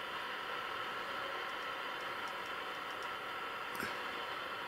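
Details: Ferranti MPT1089 mains/battery transistor radio from about 1962, with NKT164 transistors, drawing about 30 mA. Only a flat, steady hiss with no reception and no response to the wave change switch; owner suspects no local oscillator or a faulty converter.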